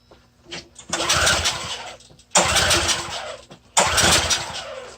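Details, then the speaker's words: Curbside free small engine with nearly full tank, choked: catches and revs about a second then fades out, three times; won't keep running, suspected fuel supply problem needing carburetor work. "well I think we're gonna have to do some carbonator work on that one that one seems to have a fuel sucking problem"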